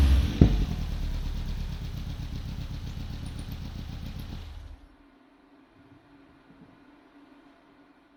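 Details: Hillman Imp with Saxo VTR engine, off road two years, after fitting new Denso spark plugs: engine fires and runs with even steady low beat, no popping or banging, shut off cleanly after about five seconds; normal start.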